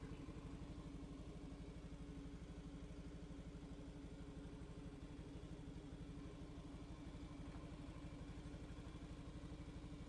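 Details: Honda Beat ESP scooter with a suspected burnt ECU; spark and fuel pump still working: small single-cylinder idles with a steady, even putter around two beats a second and no misfires; it starts and runs normally, ECU condition still being checked.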